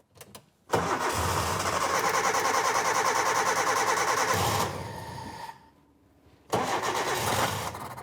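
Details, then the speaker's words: Suzuki SJ410 rescued from a scrapyard after sitting a long time, fitted with a Ford Weber carburettor: short crank, clean catch, a steady even idle, a drop and a second firm start, no knocks; the engine is sound. "bit yeah sounds it does sound nice doesn't it it's a yeah there nothing wrong with the engine"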